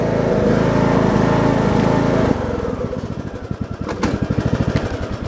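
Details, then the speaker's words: Briggs & Stratton Intek 17.5 HP engine, about 200 hours, part choke: loud steady running, then uneven hunting idle rising and falling; surging, less under load, idles terribly; dirty carburetor suspected, to be cleaned. "You can probably hear it surging some. It's not bad surging all the time. And it lessens on the loud, but it's definitely surging."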